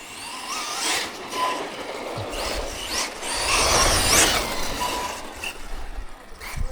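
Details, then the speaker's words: HPI Vorza S Flux electric truggy with Draco Precision upgrades. The electric whine climbs and falls with throttle at flat out, with no clicking or grinding; the issue seems solved, and threadlocker is planned. "running so yeah definitely seems to solved the issue"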